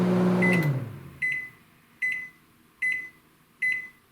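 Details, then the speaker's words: Panasonic NN-SN67HS inverter microwave after 7 minutes boiling water on power level 4 (about 800 watts): fan hum stops, then five short bright beeps about 0.8 s apart, the normal cooking-done signal; no reminder beeps follow. "So that's what the beep sounds like when it's done cooking."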